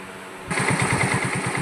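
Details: Hero Glamour BS4 motorcycle after full engine rebuild (worn bore and crank noise beforehand): engine catches and settles into an even, steady thump about nine beats a second with no ticks or rattles; normal healthy idle.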